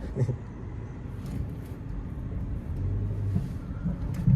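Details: Nissan Almera manual, warmed up, driven slowly in first gear over bumps: a dull, heavy thud from under the front; found to be a loose strut top mount and worn front shocks.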